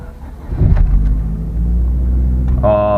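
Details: Manual-transmission car at a Copart auction, started on battery power with clutch in: deep, steady low rumble after starting, then a quick clean rise in pitch on revving; sounds healthy.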